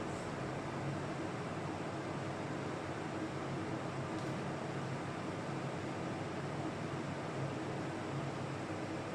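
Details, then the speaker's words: Old Carlton air conditioner that blew only warm air because the compressor wouldn't kick in, now after cleaning and teardown: steady fan rush with low, even compressor hum, no rattles; compressor kicked in and unit cools normally. "Yay, did you hear that? Compressor just kicked in."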